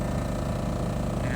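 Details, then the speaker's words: 2008 Ford E350 TV news van conversion: the onboard generator powering the rear outlets and equipment gives a low, steady, quiet hum with no surging or misfire. It runs and charges as it should. "Very, very quiet generator. It runs and operates as it should. It charges just fine."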